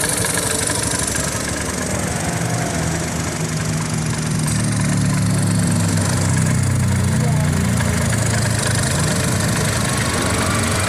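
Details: Honda Beat FI automatic scooter idling with a coarse, rattly drone from the CVT side, rougher than a clean idle; noisy CVT attributed to rarely servicing the CVT.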